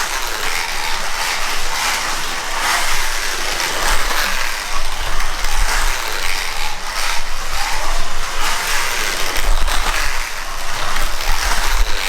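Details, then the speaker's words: 15-year-old Ninco BMW E46 slot car (angle winder) on track: loud continuous rasping buzz rising and falling with speed; suspected too much lash at rear-axle stopper letting gears fall slightly out of mesh, could be shimmed; gear mesh noise. "so it's probably the uh the stopper that we saw on the rear axle just performing a bit too much lash so the gears were falling out of mesh slightly"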